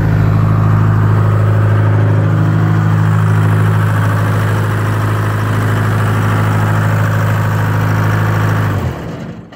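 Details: 1980 Michigan Clark 55B loader, Detroit Diesel, freshly rewired and started from the cab switch after a leaking injector was fixed; deep idle stays steady and even for about nine seconds, then winds down at shutdown, no knocks or misses.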